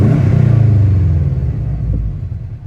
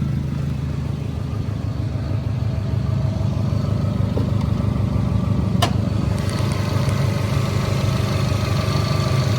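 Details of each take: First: Subaru WRX after rebuild, idling with a deep, even rumble that swells on a brief rev and settles back smoothly; normal smooth running. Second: Subaru WRX boxer engine idling after a switch to the OEM exhaust, with a deep uneven thrum and a faint puffing tick from an exhaust leak, which was later fixed.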